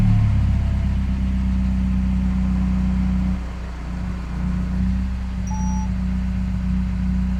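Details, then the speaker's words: Peugeot 308 GTI, first cold start after replacing the Valvetronic variable valve lift motor: loud droning cold idle that stumbles briefly, then recovers to a steady, smooth idle; cause of the hiccup unknown. "Had a bit of a hiccup when it first started. It sounded very loud."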